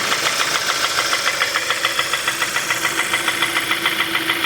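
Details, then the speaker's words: 2015 Kia Optima 2.4 with code P1326, flashing check engine light, lacking power; sharp steady knock at idle, getting louder, with oil leaking out; worn bottom-end bearings, risk of engine seizing. "se escucha cada vez más fuerte y se fijan les estaba tirando aceite mira"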